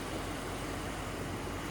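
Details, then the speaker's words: 2019 Jeep Grand Cherokee Limited 4x4, 5.7L Hemi V8, 8-speed automatic, 47k miles, started in cleaned engine bay: soft, even idle burble, no taps, knocks or whine; normal healthy idle. "5.7 liter V8 Hemi. She purrs."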